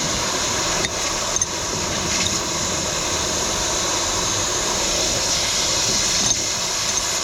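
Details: Semi truck drive tire, installing the tire equalizer hose between the duals before tightening: a steady, sharp hiss with a few faint clicks as a small amount of air escapes at the hose fitting on the valve.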